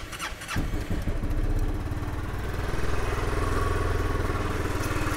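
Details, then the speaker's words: Late-2022 SYM Cruisym 300 (26 hp) showroom demo scooter at -1°C: long starter crank before the single fires into a rough, uneven idle; a slow cold start, and the starter button should have been held longer. "Should have kept the button pressed a little bit longer. It wanted to fire up, but problem is with this showroom units is they don't get a lot of activity."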